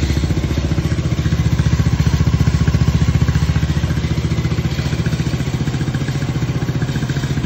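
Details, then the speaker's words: Motorcycle idling after ECU repair; a DCS scan showed no check-engine codes after clearing, and the fan was checked for rubbing. Steady, even low putt-putt, about three pulses a second, with no misses or stumbles; it idles cleanly and the fault is fixed. "So yun mga lods, nakasamba tayo. Umanda na yung unit ni busing natin."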